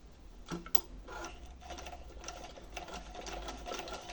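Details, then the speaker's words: Old rusted Singer sewing machine under restoration, test stitching after the old bobbin was reinstalled: light, even needle and feed clicks with no knocking, scraping or binding; normal stitching. "পুরাতনটা দিয়ে সুন্দর হচ্ছে, এখন আমাকে trial দিতে হবে, trial চালিয়ে দেখতে হবে।"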